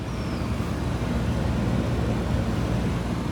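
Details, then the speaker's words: Car AC blower making a heavy, constant, rough rushing roar, louder than normal airflow. Owner suspects something fell into the blower, or a rat chewed the AC cabin filter and left debris; a bad smell is also blamed on rats. "इतनी भयानक आवाज़ आ रही है इसके अंदर से, यानी जैसे कि एसी के ब्लोअर में कुछ गिर गया हो"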